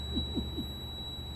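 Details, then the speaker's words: Truck on trip, cab: steady high-pitched dashboard alarm tone sounding continuously, earlier intermittent; set off by a faulty coolant tank sensor, owner plans replacement, possibly a tank issue. "کولنٹ ٹینک میں وہ سینسر خراب ہے اس لیے صبح کے وقت الارم کی آواز میں کوئی مسئلہ نہیں تھا یہ وقفے وقفے سے آتی تھی اب کافی دیر تک"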